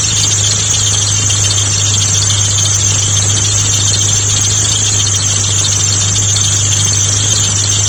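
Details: Mitsubishi GTO A/C compressor magnetic clutch at idle: loud unbroken high squeal over steady low hum, constant pitch; abnormal clutch noise, clearance fault suspected, not confirmed.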